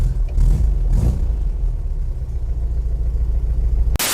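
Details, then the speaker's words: 1968 VW Type 3 Fastback, air-cooled, cold start after new IRS subframe, engine and transmission install, having sat a couple days: deep, steady, slightly uneven low idle, no knocks or rattles; starts easily and idles fine cold, with no fuel leaks. "All right, let's see what happens if we try to start it. There it is. This car is always started up nice and easy."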